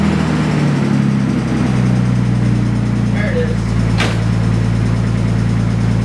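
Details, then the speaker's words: Nissan R32 at idle: steady low idle with a light, quick tick riding over it; one failed secondhand non-OEM hydraulic lifter after high-rpm abuse, not rod knock as first feared. "what you hear if you can hear me is not rodnock it's liftertick one of the lifters on the car failed um now this is pretty bad i mean i honestly thought it was rodnock that scared the crap out of me"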